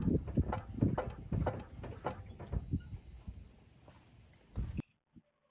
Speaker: you can see it not only is it making a noise and kind of an air compress noise come out also squeaking but it's also got a lot of Bounce to it